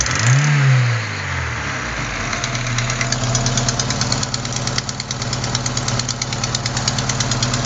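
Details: After start-up a light, quick tick about three a second over idle; not lifters or rocker adjusters but a leaking exhaust manifold gasket at cylinder 4, which replacing the gasket should fix.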